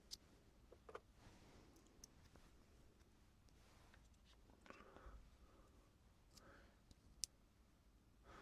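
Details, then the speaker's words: Hard drive transplanted for testing, on an adapter known to be good; faint quiet clicks in small bursts as it tries to read about six times in a row and fails, suspected fault in read head or controller, not confirmed. "And you can hear it like try to read something six times in a row and failed. That means something's wrong with either the reading head or the the controller."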